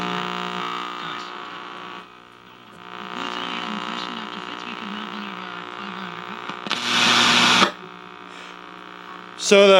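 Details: 1961 RCA KCS133 portable black-and-white TV at power-up: a constant low buzzing hum through the speaker. The audio detector tube or circuit is suspected of failing but not confirmed.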